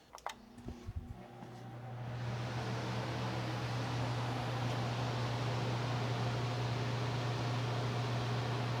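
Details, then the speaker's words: Fan of a DIY workshop air filtration system spins up after a brief clatter to a smooth, steady low hum with even airflow, no puffing bursts as when filters were clogged; running normally after cleaning all three filters. "But right now it sounds good."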